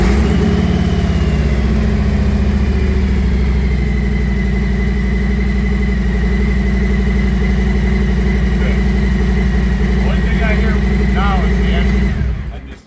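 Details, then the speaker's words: 2018 Harley Street Glide after replacing the fuel filter to cure a loud fuel pump whine: steady even V-twin idle with no whine over the engine until shutoff; pump now makes normal noise, filter was the cause. "Yeah. That's just normal. That's your normal pump noise right there."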